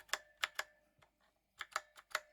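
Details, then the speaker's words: Drevo Calibur V2 mechanical keyboard; each keystroke clacks and leaves a faint metallic ring, pinging across the board, less at the top, more lower down; reviewer suspects the backplate mounting. Cause not confirmed. "general reverberations throughout the board after you depress a key a metallic reverberation now probably has something to do with the backplate the way it's secured maybe it's quite a bit of pinging all across the board less so up there"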